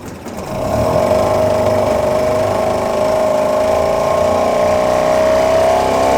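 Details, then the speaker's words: Outboard motor being serviced, running in gear; it picks up smoothly to a steady, even buzz with constant pitch and no knocks or misses. Normal running in gear. "Ну все. В принципе, все 3 мотора работают хорошо."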